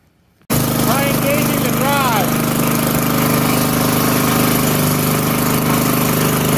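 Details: Old Montgomery Ward tiller bought at auction, started on choke after fuel was added: it fires up suddenly and holds a loud, steady, buzzy run with no stumbling; the carburetor still needs going through.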